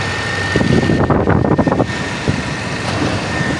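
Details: 2013 Lexus after camshaft timing sprocket replacement, restarted after running about 5 minutes in the morning: brief noisy stretch then smooth, even idle with no rattle from the timing end; sounds healthy.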